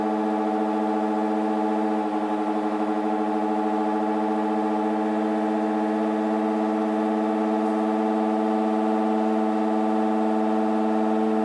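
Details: LG F1403RD washer/dryer running a timed night wash: loud, steady siren-like drone holding several fixed tones throughout; abnormal whine of unknown source.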